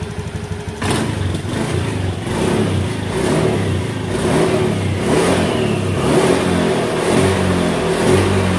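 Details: 2018 Honda Beat scooter that lost power at high rpm from a faulty TPS, after the TPS workaround fix: engine picks up crisply on each blip and climbs without stumbling or cutting out; pulls clean and healthy.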